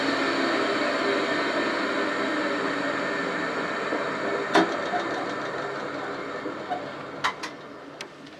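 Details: Old induction motor on a machine bought for restoration, first test run as it came, crudely wired: steady hum fades evenly as it runs down, with sharp clicks near the end from the centrifugal switch; no grinding, motor healthy.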